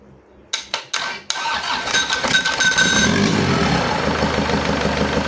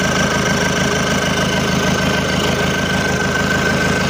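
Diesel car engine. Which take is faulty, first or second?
first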